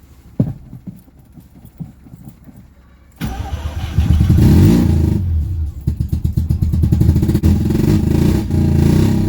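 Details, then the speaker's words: '84 Mazda GSL rotary after a used-engine swap: cranks, catches, then idles lumpy and uneven with strong low pulses and missed beats, running on one rotor; owner suspects carburetor not feeding the rear fuel bowl. "okay got the swap done on the gsl it's having some carburetor issues so unfortunately it is running on one rotor best i can tell it's not getting fuel in the rear fuel bowl"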